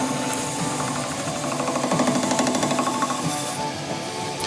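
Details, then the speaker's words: Wood lathe turning a gold resin blank for a shaving brush: light regular knock once per revolution, about three a second, from the blank being out of round, maybe the thin mould-seam line; fades as it is turned round. "You can hear that little knock knock. That's basically just where it's out of round. Once that disappears, we know we've got it round."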